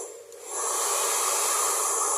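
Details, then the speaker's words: Taiff Ion hair dryer after repair for noise and weak airflow: motor reseated with a shim because it sat too low. Even, smooth airy rush with no rattle or whine, steady once at speed; the noise is gone, running normally. "Vamos ver se melhorou mais o barulho. Saindo aqui, ó. V ligar, ó. Tá vendo diferença, ó. Acabou aquele barulho, né?"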